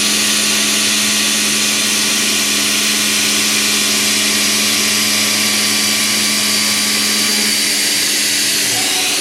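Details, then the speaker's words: End mill held far out in a heat-shrink holder: a steady, high cutting hiss with an even tone and no squeal or chatter despite the long stickout. It cuts as well as a short, fully chucked end mill. "I would argue that this is cutting just as well if not better than a super short endmill chucked in all the way up in the shank right to the cutter"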